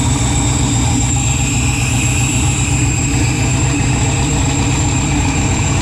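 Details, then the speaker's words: Freshly built 408 stroker LS in an S10, first start in park on a new tune: deep V8 idling slow and a little lumpy, no knocks or ticks; rpm low, air-fuel ratio erratic, new wideband O2 acting up, cause not confirmed. "yeah that's not good air fuel ratio is crazy good RPM D that's low okay I just shut this thing down"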